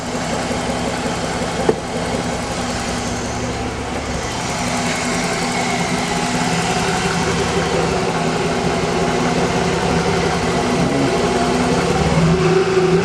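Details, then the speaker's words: Z car first start after a timing belt job, with a kinked power steering hose replaced and the wheel being turned to bleed the steering. Even, smooth idle with power steering noise rising slightly as the wheel turns; runs healthy. "Sounds good to me. Man, that sounds good. It's smooth."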